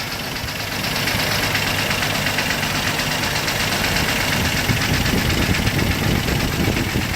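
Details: 1998 Jeep TJ Wrangler with a claimed 4.7L Summit Racing stroker, 50k miles, idling with a busy metallic rattle; pistons reportedly replaced but not wrist pins; owner wonders if wrist pin, piston slap or worse.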